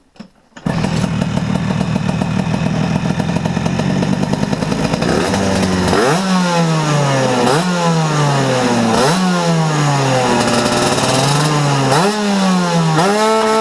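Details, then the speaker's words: Vespa two-stroke with Ignitech DC-CDI-P programmable ignition (Piaggio Typhoon 50cc rotor/stator, Malossi coil), curve mode A after 20° fixed advance test, 10,000 rpm limiter; repeated blips climb and fall back in crackly buzz, not revving out because not fully warm and running rich. "Donc voilà, bon, on n'entend pas super bien au niveau de la prise de tour parce que là le moteur il est pas complètement température et il est un peu grassouillé, donc du coup il prend pas complètement ses tours"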